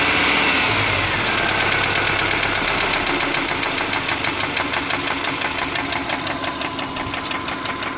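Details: 2003 Subaru Forester: a knock of about three per second at idle that fades at higher rpm and persists when warm. It has worsened over a long time; oil is changed every 3-5k. Owner suspects piston slap, rod knock or belt tensioner. Cause unknown.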